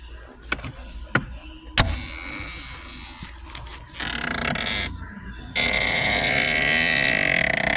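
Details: Engine at rest: irregular croaking clicks from behind the dash heater area, then a harsh rasping run; failing blend door actuator.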